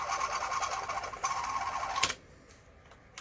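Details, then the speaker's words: Pioneer DC-Z91 cassette deck, right-side transport, probably unused for about 20 years, first playback after cleaning and lubrication: thin wavering squeal for about two seconds, then quiet ticking. Grease still working in; bearings later quietened once oiled. "It just sound terrible. I know. But the grease is start getting inside. It start working through."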